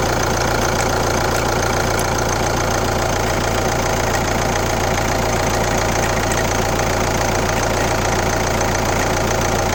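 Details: Kia Ceed 1.6 CRDI D4FB diesel, 115 km, at idle: steady clatter with a regular knock about twice a second; weird engine noise, cause not pinned down.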